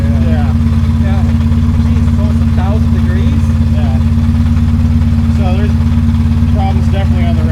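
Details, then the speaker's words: Ferrari 360 idling, no check engine light, cylinder 7 coil already replaced: deep steady idle with faint uneven pulse about three beats a second; not smoothing out when warm. "So, let me ask you, does it smooth out at all when it warms up? No. No, it's definitely got a misfire."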